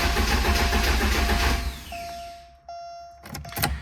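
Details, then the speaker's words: 1985 Porsche 944 that quit while driving: steady starter churning about 1.5 s then spins down, never catches, tach needle not fluttering; crank no start, owner suspects failed speed sensor, diagnosing with DME test plan. "I got a mile down the road and it just quit, turned off, just like someone turned the key, and it would not start again. So it is a crank no start."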